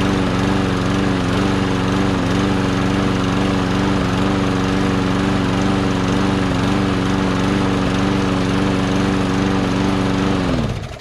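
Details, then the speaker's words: Push mower engine given a little gas and primed: a steady single-cylinder putter holding even speed about ten seconds before winding down; the engine runs and sounds good. "so there you go see engine runs sounds pretty good too"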